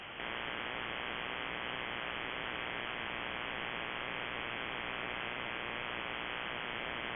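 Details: Shortwave radio receiving constant harsh broadband buzzing static with no letup; persists with house main breaker off, on a timer from 7:31 pm to morning; owner suspects grow light or powerline, source unknown.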